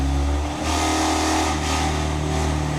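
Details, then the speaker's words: BMW M4 race car just started after fuel pump priming, heard from outside: loud, deep steady rumble with a crisp, even firing note, no knocks or misses; sounds like a race car, a healthy idle. "Sounds like a race car."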